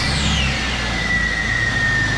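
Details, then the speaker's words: 2000 Jeep Cherokee 4.0 after camshaft synchronizer replacement (cam sensor magnet detached; earlier crank no start with codes P1391 and P0340, cam and crank sensors swapped): engine catches and settles into steady, even idle, faint falling whine, no knocks or misses; running healthy. "yeah much better so on this we had a no crank no start so it didn't matter we crank it all day long it wasn't starting"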